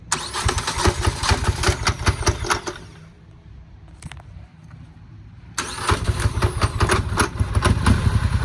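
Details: Hard to start without throttle assist; catches after cranking, then idle sags, lopes and nearly stalls until given throttle for a few seconds, after which it idles at spec; hard starting and rough idle.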